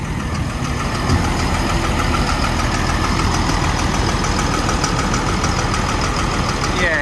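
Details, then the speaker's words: Develon DX225 excavator diesel at idle: sharp tapping at about two per second over the idle, with vibration and black smoke when revved; injector knock. "fire it open see what that smokes like yeah you can just immediately feel there it's a bit unbalanced a bit of a vibration"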